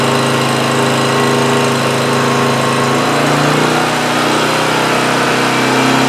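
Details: Homelite GC1800A 1800-watt portable generator (2008), about 10 minutes running with choke plate wide open after opening up carburetor pilot jet: steady even drone, smooth and healthy; only-runs-on-choke fault fixed.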